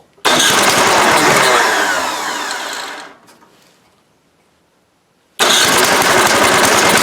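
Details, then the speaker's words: Toro 7/24 snow blower, 7 hp engine, test start, cold: pull-start catches, steady even clatter, dies away then fires again; starts and runs, may need a tune once warmed up. "so I know it starts it might need a little tune I don't know you I'll probably just let it warm up a little bit before I mess with any of the adjustments"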